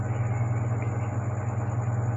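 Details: Haier automatic washing machine in spin mode that previously dropped back into rinse, restarted with the spin timer set: strong steady low hum with gentle quick pulsing about ten times a second, no banging; the spin continues normally.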